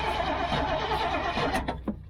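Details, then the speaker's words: Old GMC gasoline bucket truck with Holley carburettor, cranked from cab with throttle feathered and choke worked: ragged uneven firing catches never pick up, sputters and dies; fuel present in filter. "Tommy, you want to try to crank it from the inside or not? That way he can like feather the throttle and you know, work the choke and all that."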